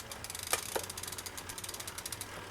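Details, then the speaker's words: Bicycle rear derailleur after barrel-adjuster adjustment, shifting one cog at a time up the cassette: even freewheel ticking with crisp clicks and no grinding or chatter. Indexed shifting is normal and quiet. "Nice and smooth."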